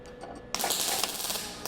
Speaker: right, you can tell just by the sound, that's no good. Look at that guy just sitting on there. So we're gonna turn the heat up a little bit more.